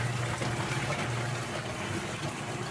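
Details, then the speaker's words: Electrolux 12 kg top-load washer, previously noisy during agitation, after repair of a small broken part: steady churning and water swish with low even hum, no knocking or clatter, at extra-low water level; normal agitation, problem solved. "vamos a pouco ela já vai agitar a roupa a gente já consegue perceber se que o deu certo não olha que beleza resolvido o problema"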